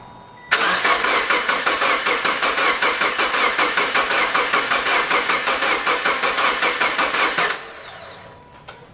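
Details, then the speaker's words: Subaru Forester XT freshly rebuilt EJ257 engine, first start: cranking with fuel pump unplugged to build oil pressure; even starter churn about two and a half beats per second for seven seconds, no firing. "And you're just gonna crank it now. Yeah, so. Just cranking it."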